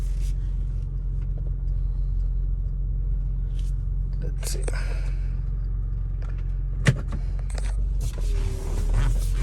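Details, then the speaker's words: 2003 Honda Accord 3.0 road test after replacing rear wheel bearing and hub assembly, formerly loud noise from left rear; only steady low road rumble, no hum or growl building with speed, bearing noise gone, normal wheel bearing. "Alrighty, so no noise, guys. So we fixed the problem. Yep. So the noise is gone."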